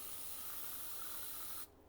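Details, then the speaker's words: Top end of a cheap 125-150cc dirt bike engine at TDC during a valve leak-down check: steady airy hiss for over a second, then a sharp cutoff as air escapes past the exhaust valve; the valves do not seal well and need lapping. "Ah oui. Échappement. Donc comme on peut voir, elles sont pas très étanches."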